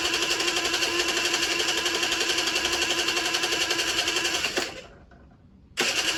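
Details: Generic Trigger SM 50cc two-stroke on a temporary fuel tub with a stiff old throttle cable: high buzzy note wanders and climbs by itself, cuts out briefly, then catches. Surging idle; owner suspects an air leak, later found around the intake manifold, plus blocked jets.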